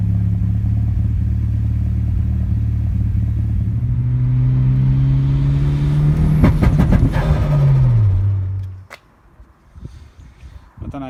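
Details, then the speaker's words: 940 big turbo with new Deka 630cc injectors and new matched chips: rising pull then uneven stutter and crackle as soon as it gets hard into boost; breaking up badly, misfiring under boost. "you've just seen that little clip but i took it out for a little run and uh it's breaking up terribly as soon as you try and get into boost hard it breaks up"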